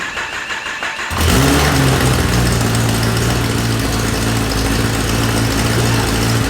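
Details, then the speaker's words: Kawasaki Ninja ZX-10R wrecked-bike engine, first crank after frame damage: the starter catches after a second, then a steady, even idle with a firm low exhaust note; an unexplained extra noise was noticed earlier; the engine works. "we have an engine we have an engine that actually works i cannot tell you guys how nervous i was"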